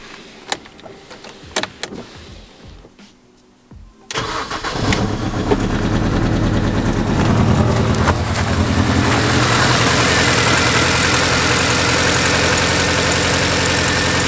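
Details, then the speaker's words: Mini Cooper, cold start: a short crank, then an uneven, stumbling beat for the first 15 to 20 seconds before it smooths out. The owner suspects coolant in the cylinders from a head gasket; a combustion-leak test changed color. "every time I start this car up so far since I've had it it's really bad at starting like it sounds like it misfires for the first like 15 20 seconds and then it seems to smooth itself out"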